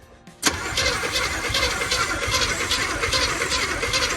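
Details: 1972 Chevy C20 3/4-ton with factory 402 big block, automatic, first start attempt after checking spark and firing order: steady starter churn about two and a half pulses a second, never catches. Cause suspected, not confirmed.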